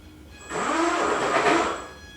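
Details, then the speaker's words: E-Flite Apprentice S 15e RC plane electric motor, ESC and servos working: whine climbs, wavers and bogs, motor chokes under throttle and can stall; slight smoke seen earlier, cause unconfirmed. "it kind of goes and then chokes up a little bit. If I leave it too long, it'll stall itself"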